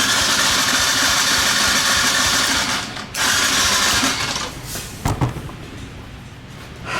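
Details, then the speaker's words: Blown-up Kawasaki KLX140 dirt bike, brake clean sprayed in, timing correct and cam chain tight: fast, loose cranking at about three strokes a second with metallic clatter and no firing; low compression and debris clanking inside. "now it sounds even less like it's gonna start than before cam chain is definitely tight the timing seems to be right uh from the cam to the crank there's something definitely wrong with this motor"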